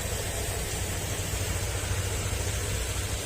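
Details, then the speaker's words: Honda Click 125 scooter after rebuild of blown engine (broken crankcase replaced): steady even low drone with no knocks or rattles; engine now idles quietly and smoothly. "Ayan, maandar na. Tahimik na yung makina nito mga sir."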